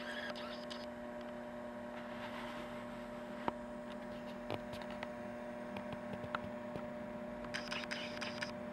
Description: This old scanner makes a humming noise that gets worse when a certain capacitor gets poked with poor man's probe.